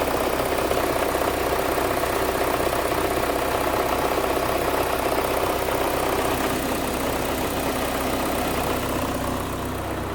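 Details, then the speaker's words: Audi after timing belt and water pump replacement, first start with engine connectors left unplugged: uneven, lumpy idle beating about four times a second, running badly. "I didn't have these plugged in. Obviously, it was really hating me super bad, but now we got, sounds a little better."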